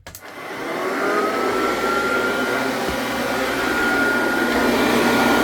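Steady motor hiss with a thin constant whine from the beater bar, even and smooth throughout; the brush roll is spinning freely on a good belt.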